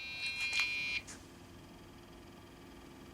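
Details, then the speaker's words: Dell OptiPlex GX520 desktop at power-on: a few sharp, high beeps in quick succession, then quiet fan hum; a POST memory error because the RAM was not pushed fully back into its slot. "about something well let's shut it off it's complaining oh i remember what it was now i never pushed the ram back in all the way"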